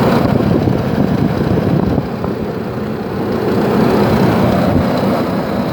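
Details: 2006 Nissan Frontier Nismo King Cab, cold start at -2 °C: constant heavy hovercraft-like fan roar that swells with throttle, fan always on max; owner suspects fan clutch though the fan spins freely by hand when off.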